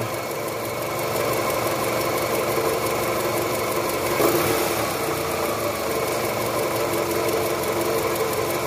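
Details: 2004 Toyota Camry, 2AZ-FE 2.4 L, 98,000 km, cold idle in reverse with A/C on: faint, uneven light rattle low in the engine that fades when warm; worn, loose balancer shaft.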